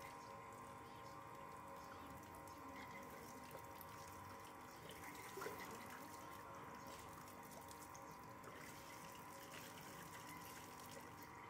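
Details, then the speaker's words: Sanyo water pump after repair (was humming, noisy, turning slowly or needing a hand start): impeller/suction fan fixed, running with water, quiet even motor hum with splashing flow and no rubbing; pump now normal. "Kemudian kita coba hidupkan. Suaranya sudah normal, tidak ada bunyi gesekan. Itu tandanya kalian sudah berhasil memperbaiki kipas penyedotnya."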